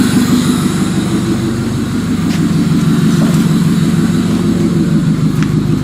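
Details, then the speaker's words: Old-body Toyota (believed 1994, 92–96) being prepared as a demolition derby car, started by hot-wiring the starter with a bare wire touched to the battery positive. It fires and settles into a steady, even idle putter with no misfires. "Going to touch it off the positive. Look at that, just starts right up."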